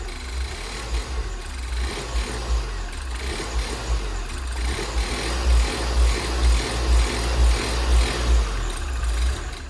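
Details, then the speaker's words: Fire-damaged Ford Fiesta ST rebuild, first runs with much still disconnected: idle surges up and down about twice a second with a lumpy low rumble, never settling, slight tick and won't rev up; hunting idle. "it really does there's a little bit of hunt in there we've got a lot of little things to iron out but for the most part i stand running"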